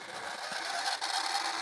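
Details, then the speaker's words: Panasonic PV-VS2841 S-VHS VCR (September 2003, 21 years old), on rewind: dry, raspy screech with a thin whistle rising as the reels speed up; owner is 99% sure it's the take-up reel wheel. "now uh if I can talk over this horrible noise let's just let this rewind all the way I'm pretty sure I I'm 99% positive that it's this wheel here the takeup wheel"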